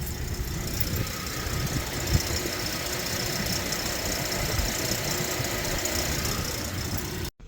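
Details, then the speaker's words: Warm idling Ford Explorer EcoBoost: buzzy metallic rattle from the exhaust down/mid pipe flex section once warmed up; owner planning a cheap fix with worm gear clamps and exhaust wrap. "those down pipes or midpipes rather uh do tend to make this very very annoying uh rattling sound once everything warms up and it's just so annoying"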